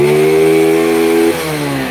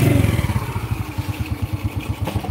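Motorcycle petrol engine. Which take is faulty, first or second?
second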